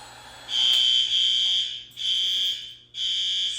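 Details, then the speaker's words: Fire alarm horn heard through a closed door in a middle school crawl space during annual testing, near transformers: three long shrill blasts with short gaps, dulled and distant; quieter behind the door, so another horn is being considered. "Quieter once you're behind the door. Yeah. That door was closed too."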